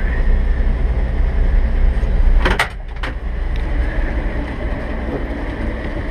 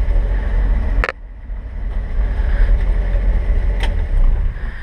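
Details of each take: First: 1958 Chevrolet Apache 3200 truck, 235 inline six with solid lifters, 3-speed column manual, idling after choke start; light quick ticking over steady low rumble from solid lifters plus exhaust manifold leak. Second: 1958 Chevrolet 3200 Apache, original 235 inline six with solid lifters and 3-speed column manual, idle brought back down: low, deep exhaust thump at slow easy idle with some handling knocks; solid lifter noise and an exhaust leak noted; normal idle.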